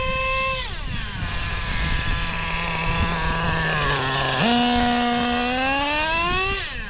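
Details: O.S. 21 TM nitro engine in a used Traxxas Revo: screaming high revs climb and hang thin and sharp on the pass, then sag off throttle; running lean on top end, high-speed needle richened one to two hours.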